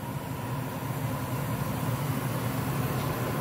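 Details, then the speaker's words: Apartment HVAC unit in cooling mode after fitting a new Goodman blower board and capacitor and cleaning the insulation: steady low fan-motor hum with soft refrigerant rushing underneath, no rattles or squeals; running normally after repair. "There we go, up and running. Hear the refrigerant moving, hear the fan"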